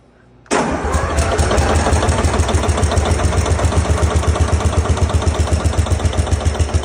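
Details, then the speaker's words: 1944 Cleveland 3-268A two-stroke diesel, revived after a fuel delivery problem was fixed. It cranks, catches at once and settles into a steady, fast, deep beat of about four firings a second, likened to a Detroit diesel; running sound. "it has a really cool sound to it it it sounds like a Detroit but for men"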